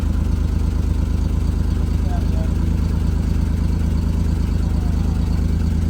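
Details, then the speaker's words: 1973 Citroen SM, 5-speed, three carburetors, 73k miles, just started with clutch in: steady even low rumble at idle with regular soft pulse, no knocks or misses, hydraulic pump heard cycling as suspension raises. Normal idle. "Boy, it just raised right up. That's just, man, this runs good. I can hear the pump cycling."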